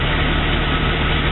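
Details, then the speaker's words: 1988 Jeep Cherokee with a replacement engine installed, block left uncleaned, engine bay dirty, exhaust leaks noted: steady, even idle with a deep unbroken drone and no misses or knocks; runs well. "I didn't clean the block I did nothing I just I put the motor in but instead it runs good"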